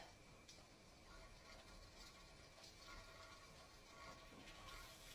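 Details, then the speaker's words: Pressure canner with a 10 psi weight, nearing 14 psi with the heat being raised: a steady hiss of venting steam and a light rattling jiggle begin as the weight starts rocking, an audible sign it has reached operating pressure. "there we go now it's starting to move you see that I'm going to turn the heat up just a little bit more now I'm almost at 14 PSI now it's starting to move that is an audible indicator for me to know that I have hit the correct PSI"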